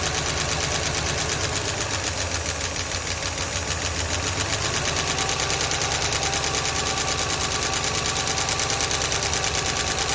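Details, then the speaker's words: Ford LTD running on milky contaminated oil: crisp, evenly spaced ticking about three per second over the running engine. The whole valve train is tapping; lash to be adjusted with a ratchet. "well that's valve train noise i'm going to go ahead and get my ratchet make it a little easier"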